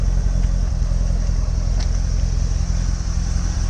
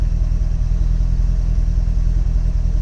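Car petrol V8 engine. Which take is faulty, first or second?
first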